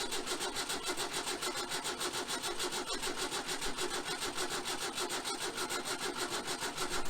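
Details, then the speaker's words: 1966 VW Type 3 Fastback with freshly rebuilt engine, jump-started because the 6V battery is dead: steady even cranking with no firing at all; cranks but won't start, wiring suspected and later reworked. "well she's not even trying right now so we're gonna do some uh playing for a minute and see what we can figure out"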